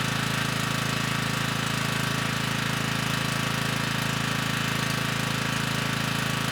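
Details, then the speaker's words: Generac 3500 W generator (model 01313-0, GN220 engine) after carburetor repair replacing a broken jet. It starts right up with the choke off and holds a smooth, steady, even run with no misses or surging; only a little smoke. "uh this time it started right up with the choke off you know likely there was still some fuel in the cylinder from the last time we ran it with the broken jet you know but this time the engine got right up to speed"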